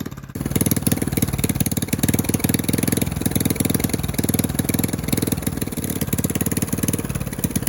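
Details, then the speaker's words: Rebuilt Honda 5.5 hp single-cylinder, sat outdoors about three years, new carburetor and coil, with bent pushrods: rapid, slightly uneven chuffing idle that stumbles now and then; running rough, not 100% right. "well still not 100% right but for it having bent push rods and a whole bunch of other stuff wrong with it I'm going to call out a win"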